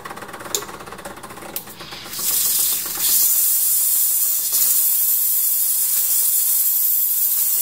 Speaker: I'm just going to purge a little fast